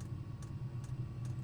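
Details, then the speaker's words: Newly fitted Chinese diesel heater on a narrowboat, fifth start-up, fuel filter filling: soft steady pump tick about every 0.4 s over a low fan hum. It sounds different from earlier attempts, with a diesel smell, so it seems to be burning fuel. Running normally. "Uh this is the fifth time I've turned it on and it sounds different. That sounds to me like it's burning fuel because I can smell a bit of a diesely smell as well."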